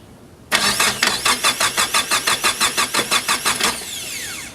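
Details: Nissan S15 with SR20DET after rebuilt starter installed, fuel pump heard running, checking for spark: starter cranks in a quick, even rhythm of about three beats a second then winds down; no firing catches. Cause unconfirmed.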